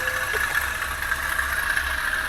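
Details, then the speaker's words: Toyota Avanza previously overheated: idling engine with a rough, gritty whirr over it, steady and no knock; owner hopes it is external. "oke ini suaranya kasar mudah-mudahan suara kasar ini ada di bagian luar ya panbelnya suaranya kasar mudah-mudahan sih kelar aja ya nggak di dalam mesin"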